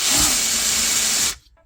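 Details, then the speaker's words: New Ridgid 18V SubCompact brushless impact driver in auto mode, which senses when the fastener is loose or tight and stops: short high whir runs steady about a second then cuts off on its own; normal auto-mode operation. "So that's why it was making that strange noise. Yeah. So it's making that noise because it's sensing, and if it senses that the bolt or whatever you are tightening or loosening became loose or tightened enough, then it will stop."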